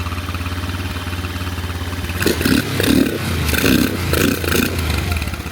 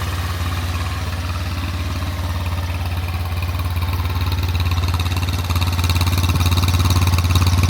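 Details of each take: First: 150cc GY6 Chinese SunL quad after a tank, fuel-line and battery swap: even idle, but blips stumble and fade past a certain rev range; owner suspects the carb's higher-rev jet, not the idle jet. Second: SunL 150cc GY6 air-cooled Chinese quad, kickstarted with no choke after about four years stored, with a fresh battery, new tank and fuel lines: an even, low putter at about 3–4 beats a second with no misses; a healthy idle.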